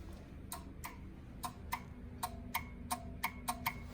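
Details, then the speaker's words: Pop-Up scissor lift bought at auction: sharp dry clicks in uneven pairs and singles over a quiet hum, the relay in the safety circuit pulling in and dropping out normally. "Yes, the safety circuit does run the power up there to the box, but it's actually, although these probably run on a negative, there's a relay."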